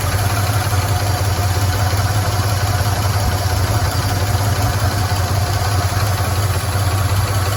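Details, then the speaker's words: 1977 Chevy C10, 350 automatic, first run after sitting since 2006–2007: steady low V8 idle with quick constant ticking clatter, noisy lifters suspected; broken flex plate also noted, water pump not pumping. "oh yeah that's what I'm talking about that's what I like to see so we know it runs we know we've got some noisy lifters"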